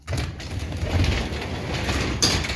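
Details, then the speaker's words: Garage door opener in a cold unheated garage, door already stuck partly open: the motor drones as the door lifts, then a sharp clunk and the run stalls partway; the opener sticks and stops mid-travel. "up to here. Now it just stuck."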